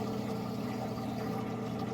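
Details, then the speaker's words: Swamp cooler just filled, pump setting switched on: steady low electric hum of constant pitch, no rattle or grinding; cooler pump running normally. "Sounds like that's pump. Let's go look and see how the pump is working, and then we'll come back with the fan."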